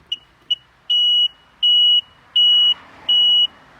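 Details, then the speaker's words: 2001 Sea-Doo GTI LE RFI two-stroke jet ski, won't start or crank, high-temp flashing: at key on, two short chirps then four long beeps, and four fast beeps on start attempt; the control module is suspected as the issue. "I'm getting four beats one two three four and then when I go to start it I'm getting four fast beats so kind of stumped at this point"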